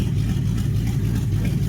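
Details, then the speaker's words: 1969 Chrysler 300 V8 running again after fixing ignition-switch wire at bulkhead connector, open exhaust manifolds without side pipes: deep, loud, even burble, steady beat, no misses or knocks; healthy idle, "demo derby" sound. "Can we just appreciate the sound this thing kind of has to it? Even though it sounds like it's demo derby ready. That's going to sound good coming through those side pipes."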